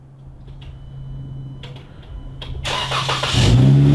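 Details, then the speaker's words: Repeat remote start of a 2015 Jeep Wrangler JK after wedging the plug-and-play remote starter module, checking nothing came unplugged: soft clicks, brief crank, engine catches and settles into steady run; normal start. "now that that's wedged I'm going to remote start it again make sure nothing's come unplugged"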